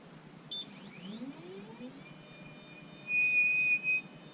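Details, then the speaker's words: Anycubic Photon Zero resin printer: short beep, rising motor whine, then steady high-pitched squeal as the Z-axis moves; lead screw nut squeal, fixed by flipping the leadscrew nut. "So if you have a Photon Zero that squeals on the Z-axis, I'm going to show you how to fix that real quick."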